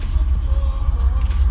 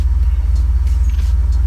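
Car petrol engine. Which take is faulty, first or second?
first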